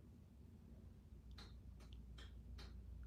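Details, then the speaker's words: Four soft, evenly spaced clicks over a low room hum: the washing machine's controls resetting normally after being switched off with the door open, after which the drum light comes on only briefly. "Can hear it clicking? That's the reset."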